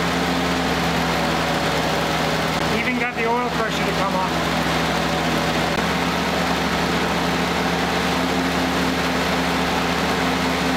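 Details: 1946 Willys CJ2A Jeep four-cylinder, first start after nearly five years in storage with Marvel Mystery Oil put in the cylinders, choke half out; settles into a steady, even idle with a smooth hum, no knocking or misfires. Normal idle.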